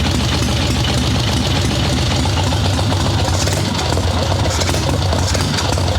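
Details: Harley ironhead Sportster XLCH chopper V-twin, Mikuni VM38 carb, idle tuning on fresh plugs, cold wet day: steady loud, lumpy, stumbling idle without clean rhythm, boggy; too rich, owner suspects not just carb.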